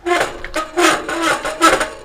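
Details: Mountain bike disc brake, five years old but barely ridden with nearly new pads, gives short harsh squawks when braking; owner attributes it to the pads vibrating against the rotor. Disc brake squeal.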